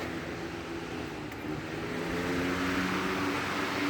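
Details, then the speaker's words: Lasko 3733 box fan on medium: steady even rush of air with faint low hum, no ticking or rubbing; very noisy, must speak over it, running normally. "and this is very noisy and i have to speak over it it moves a bit of air"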